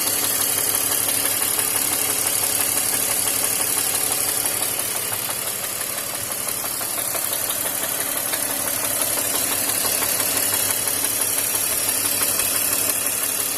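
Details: BMW X5 E53 with M54 inline-six at idle: a steady knock about three times a second over the engine, deep rhythmic tapping indicating rod knock from a worn rod bearing.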